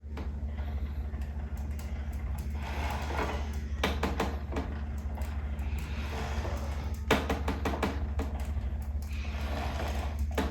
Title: Concept2 rowing machine strange rattle noise at very low speed and short range of pull